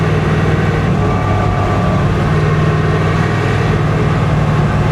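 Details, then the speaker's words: 1966 Impala salt-water flood car with about 4.10 rear gears, roughly 45 mph at 2,500 rpm; a steady low drone and hum follows road speed and the rear end sounds rough, so worn gears or bearings are possible; rear differential noise. "That does not sound good. I'd love to know how fast I'm going."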